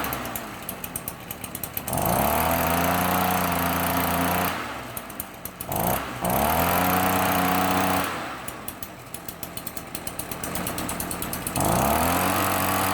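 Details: Stihl BR 400 backpack blower two-stroke, run outside after replacing a defective leaking carburetor with an aftermarket one, new air filter, partly cleaned spark arrestor: revs up and falls back to idle repeatedly, clean steady note, no misfire or leaks; normal running.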